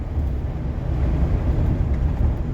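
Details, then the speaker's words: Revived 1-ton Chevy Express van with nothing loaded in the back, driving: steady low engine drone under road and wind noise, no knocks or ticks; engine running healthy. "man it's running great it is running so great"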